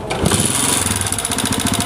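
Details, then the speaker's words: Honda CG125 motorcycle, single-cylinder, before repair: starts and clatters loudly at idle with busy rattling chatter from the engine, not the cylinder or silencer. "ये देखें इसमें से बहुत ज्यादा अब ए गए ए रही हैं तो साइलेंसर का भी साउंड सुना यहां पे देखिए सिलेंडर में सिलेंडर से आवाज़ जो है बिल्कुल भी नहीं ए रही और इंजन जो है बहुत ज्यादा आवाजें कर रहा है"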